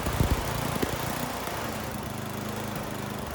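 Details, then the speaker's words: Troy-Bilt (Garden Way) snowblower, Tecumseh 10 hp engine, new carburetor fitted by customer: uneven putter whose pitch shifts as the high-speed mixture screw is turned (in leans, counterclockwise richens), settling into a different steady beat. "And then if you unscrew it, so counterclockwise, you're letting more gas in. So in this next clip, that's what you're going to see me doing, and you should be able to hear the change in the engine."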